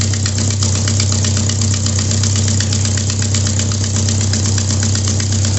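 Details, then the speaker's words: 1997 Jeep Wrangler 2.5L, customer reports no power and code P0118, at idle during a fuel pressure test (about 45): loud, sharp ticking about three times a second from a blown exhaust gasket at the back of the manifold. "Well, that was loud. And it's got a blown exhaust gasket on the back of the manifold."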